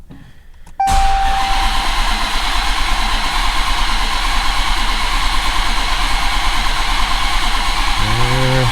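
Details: 2017 Dodge Challenger SRT Hellcat with a rebuilt 1500hp 6.2L supercharged Hemi, fuel pump relay and injectors disconnected: long, even low cranking drone for about eight seconds that never fires, a short tone near the end. Cranks without starting, no oil pressure reading.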